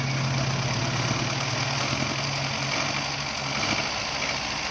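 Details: Mitsubishi Pajero engine idling loudly and roughly with an uneven, lumpy beat and rattly knocking; misfire (missing) problem at idle.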